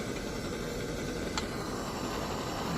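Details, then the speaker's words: 1948 Major 236 lantern after cleaning the gunked, stuck-open pump check valve: even steady hiss with no sputter or surging, holding pressure and burning bright at about 300–400 candle power. "burning good she's burning bright she's pushing that four three to four candle power"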